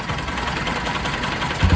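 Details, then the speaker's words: Bajaj Pulsar 200 motorcycle warm idle in neutral, silencer blocked: fast light ticking over the engine note from the timing chain that appears once warm; chain needs replacing. "यह जो guys sound है यह है timing chain का। ठीक है? अब यह जो साउंड आ रहा है टाइमिंग चेन का यह आ रहा है अपनी गाड़ी गर्म होने के बाद में।"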